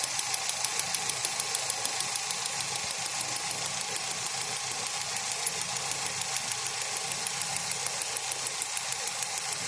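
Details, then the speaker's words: Sharp, steady metallic clicking at about three a second over a quiet idle on a Hyundai Accent running on LPG. The cylinder 1 gas injector is worn, knocking and over-fuelling, and adjusting it does not quiet it. Needs injector repair or a rail replacement, then recalibration. "Нет, она не замолкает, поэтому она там уже разбитая."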